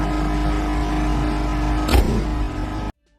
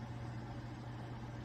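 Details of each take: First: Microwave/range hood combination unit, hood fan running: loud steady droning hum with buzzy rattle as the top vent and loose panels vibrate; noise is from the range hood section, the microwave section is fine. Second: Over-the-range microwave/range-hood combo after tightening all screws to stop vibration and resonance in the hood section: steady low hum, no rattle or buzz; normal quiet running after repair.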